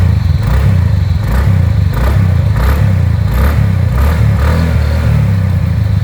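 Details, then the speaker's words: TVS NTorq scooter after a mechanic fixed its engine sound problem and it was washed; smooth, even exhaust beat with clean throttle blips rising and falling freely, good bass note, no knocking or rattling; engine now sounds healthy. "तो guys जैसा कि आप देख सकते हो इसकी sound कितनी प्यारी हो गई यार पहले से एकदम अच्छा बेस साउंड आ रहा है एकदम मजा आ गया देख के"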